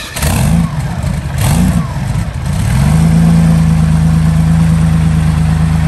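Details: Meteor Interceptor, first start after complete rewiring to new engine management, car jacked up for gearbox test: couple of quick blips, then deep steady idle, no misses, no smoke, smooth and strong; normal idle.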